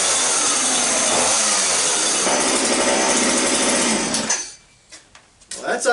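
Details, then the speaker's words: Small two-stroke machine (one of a Mantis rototiller, Homelite blower and Homelite chainsaw) that sat for years starts right up with the choke half out after its slightly dirty carburetor was cleaned. Runs at a high, buzzy, steady rev for about four seconds, then cuts out; sounds healthy. "that's unexpected. Started right up. So I must have cleaned out what needed."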